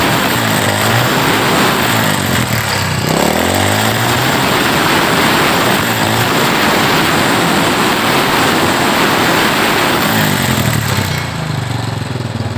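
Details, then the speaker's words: Old Honda Supra X after fixing its flooding carburettor: small single runs steadily, revs rising and falling smoothly with throttle blips, no stalling or bogging. Normal running, repair succeeded. "Ternyata berhasil."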